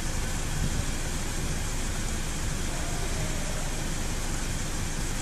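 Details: 2008 Audi S6 after fixing ignition coil on cylinder 3, which had water inside, and clearing faults; low, even idle with no stumble, no engine light, no vibration at 100 km/h; normal idle.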